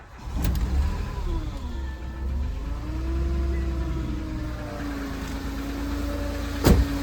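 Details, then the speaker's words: Auction Renault, 116,662 on odometer, after piston replacement, restarted in neutral hours after last drive: smooth even idle, steady low hum, no knocking, misses or smoke; runs fine, doesn't overheat. "Yeah, so hopefully you heard it. It runs very nice. Drives, doesn't overheat or anything like that."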